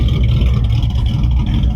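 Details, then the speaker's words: Truck with a Holley 600 cfm carb just swapped in place of a 650, idle 650–700 rpm: low choppy uneven lope from the cam, running fine, lope seeming different since the carb swap. "i mean this it is a hair load it's a it's at about in between 650 and 700 rpm i read at 700 rpms almost um but it seemed to came a little bit different i can listen to this all day"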